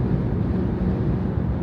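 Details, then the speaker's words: Jeep Grand Cherokee WK2 at about 75 mph after the free cowl fix: only steady road rumble and some wind noise, no droning hum from the cowl between hood and windshield; cowl now quiet. "now we have more wind noise in the chassis but the cowl is completely quiet now"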